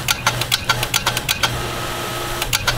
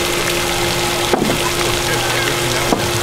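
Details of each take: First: Repaired water pump running with no pressure tank and the pipe pinched off, reaching over 50 psi: fast chattering clicks about eight a second over a steady pump hum, then pauses; the pressure switch cuts off at 50 psi and short cycles. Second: Water pump after replacement of the failed unit, tested with the pipe pinched and no pressure tank fitted. Pressure now goes over 50 psi, which it did not before; the old pump sounded growly. Steady, even hum with a couple of handling clicks: normal operation.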